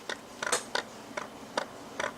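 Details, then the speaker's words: Sigma 19mm f/2.8 Art lens on a Sony A6000, camera off: shaking gives light, irregular clicks and rattles from the electromagnetically driven focusing element floating unpowered in the barrel, normal; silent in operation. "know if you could hear that but there is a rattle of the focusing element that obviously uses some sort of electromagnetic system to focus back and forth inside this lens barrel so so when there's no power and it's not focusing that element is simply floating in there"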